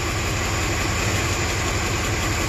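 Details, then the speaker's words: 1994 Cadillac DeVille idling rough after a no-crank no-start repair: uneven, lumpy misfire pulse caused by an arcing spark plug wire, seen on a scope; another wire also found dead. "see spark plug wire spark plug wire is arcing right there and i can kind of change it that's me moving it around spark lines changing"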